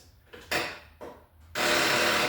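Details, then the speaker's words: Power-equipment engine with a freshly charged 12-volt battery reading about 13 volts: a few short clacks, then fast relay chatter with no cranking as the starter draws heavy current; starter may be seized or the battery is sagging under load. "oh, that shotgun, that clicking, that means it's attempting to start the starter. But, uh, the starter's drawing a whole lot of current. It could be seized up or it could just be, uh, the battery."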